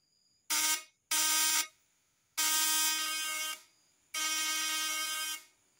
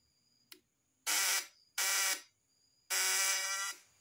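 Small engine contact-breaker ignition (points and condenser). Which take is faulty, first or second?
second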